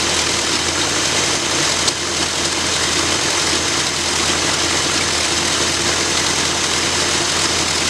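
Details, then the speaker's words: 1965 Ford Galaxie after first rebuild of its Edelbrock carburetor: steady, even low idle with a smooth exhaust beat, no stumbles or hunting; sounds like it breathes much better and starts easier, though some white smoke remains. "so I don't know if you all noticed any kind of difference but I definitely did it sounded like it's breathing a whole lot better"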